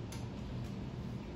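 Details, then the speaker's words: A 52-inch Harbor Breeze Pawtucket ceiling fan on high speed gives a quiet hum with faint, irregular ticking. Its bad wobble was already fixed, but it still makes noise and the cause isn't clear. "And it's definitely making noise. Turn off this closed bed, you might be able to hear it."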